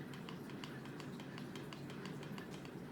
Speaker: can you hear that clicking that's bad that's actually real bad um I'd go as far as to say that's not even playable